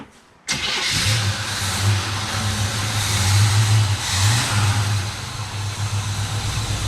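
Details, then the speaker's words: 1957 Chevy Bel Air V8, first start in about 30 years, after a loose fuel line was tightened and fuel reached the filter (fuel pump possibly weak). A short crank, then it catches and settles into a steady, slightly lumpy rumble with blips, running well. "we've got some fuel at the filter so we know it's sucking let's crank it over to the rims"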